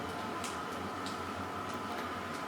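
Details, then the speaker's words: Keiser M3i indoor cycling bike being pedaled: light regular ticking about twice a second from the pedal cage straps hitting the floor, over a soft drivetrain whir. "The clicking noise you hear there is the straps from the cages. They're hitting the floor."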